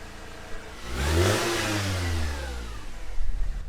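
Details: Manual Mercedes C230 Kompressor W203, 183,000 miles, first start after fitting a new exhaust header: engine climbs smoothly in pitch, holds, settles back with clean deep exhaust note, no leaks or rattles; healthy revving.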